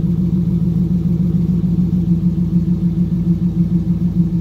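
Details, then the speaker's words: Corvette Z06 V8 cold idle after replacing valve springs and pushrods; steady rumble with faint quick regular valve tapping because stronger springs make valves smack louder; otherwise sounds healthy. "all right so it sounds pretty darn good the valves are a little bit loud but that's just because the springs are a lot stronger and it's making the valve smack onto the top of the head"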